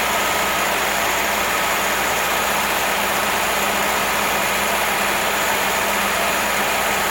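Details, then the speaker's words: Engine after swapping the stock carburetor for a Weber on an adapter plate: steady, even idle with no stumble or missing beat; the old putter is gone and it has never run that smooth. "Oh man, that sounds good. It's never ran that smooth. No more put."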